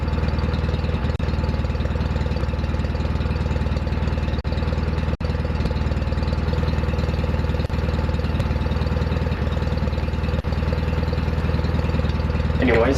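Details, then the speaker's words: Restored John Deere 316 lawn tractor running after restoration: steady, even putter at a fast idle with no knocks or misses; the engine runs smooth and healthy. "so what I'm going to do at this point is start up the RoR so you can hear what it sounds [Applause] like sounds good"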